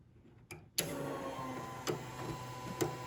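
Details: Factory Five Mk4 Cobra, first power-up before first start, fuel pump relay wired to ignition switch instead of ECU: relay click, then steady, even high whir without stumbling; fuel pump priming normally.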